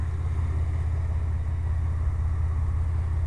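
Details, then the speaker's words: GMC truck idling on wood gas from a homemade gasifier. The fuel injector fuse is pulled, the fuel pump is left running, and one air hole is blocked off to get the mixture; the owner is unsure whether it is too lean. Low, steady, smooth idle with no misses. "okay YouTube uh whoever is interested um idling on wood gas right here"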